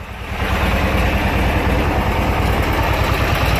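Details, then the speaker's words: Junkyard Briggs & Stratton opposed twin running on one breather; steady even low putter, no misses or stumbles, both cylinders firing evenly; normal healthy idle. "yeah awesome so got a good running Briggs"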